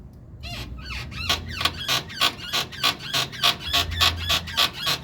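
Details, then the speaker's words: 2014 Chevrolet Cobalt with a customer complaint of suspension creaking, heard from underneath as the suspension is rocked: rhythmic high-pitched rubbery creaks, about three a second, from worn stabilizer bar bushings, to be replaced. "galera deu PR ouvir aí né pessoal temos aí bucha da barra estabilizadora barulhando"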